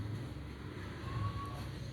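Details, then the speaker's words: Washing machine spin motor after repair, set to spin: steady low hum, strong from the start with no catching or grinding; rotation now normal versus weak before. "Nah, ini normal sudah dari awal putarannya sudah kuat ya. Kalau tadi lemah banget putarannya."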